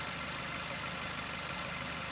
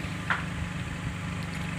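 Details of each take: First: Nissan X-Trail: idle stumbles unevenly with an irregular knocking beat about three per second over a hissy engine note; shaking and coughing misfire from worn-out iridium spark plugs, before replacement. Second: Nissan X-Trail at idle after replacing worn iridium spark plugs, heard at the tailpipe: even, steady low rumble with no misses or coughs; misfire and vibration gone, running smoothly on all cylinders.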